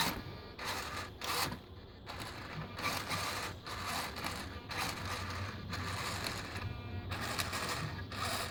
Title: Savox servo clicking sound